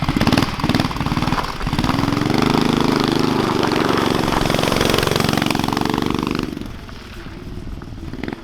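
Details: Street go-kart with Predator 212 engine, muffler, homemade throttle linkage working the throttle butterfly, first run: loud single-cylinder blat surging and stumbling under throttle, never even; running rough, cause not confirmed.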